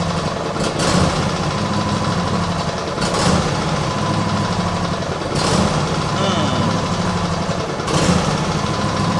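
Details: Cold small petrol engine with automatic choke at idle: note swells and sags every two to three seconds, surging hunting idle; owner suspects water in fuel after washing or choke; carb never cleaned, cause unconfirmed.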